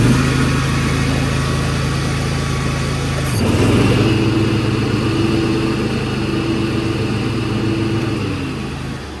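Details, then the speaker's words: Gravely 48-inch hydrostatic zero-turn mower fires and drones steadily; note shifts as the PTO engages the blades after a new PTO belt, still running smooth. "We're gonna crank it up, engage the PTO, see if we're okay."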